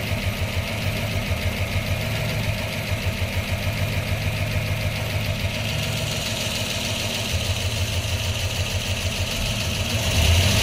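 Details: 1997 Pontiac Trans Am WS6 LT1 V8 with P0301 code, 1.65 roller rockers and long-tube headers: lumpy idle with a steady stumble about three times a second, a cylinder 1 misfire; fuel pressure slightly low, injectors and plugs checked good.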